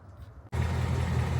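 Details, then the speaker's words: 2022 Mustang GT Coyote V8 restarted after adding Liqui Moly Ceratec at an oil change. It settles into a deep, steady idle with the "barbecue tick" gone, running clean. "And the tick's gone. No more barbecue tick."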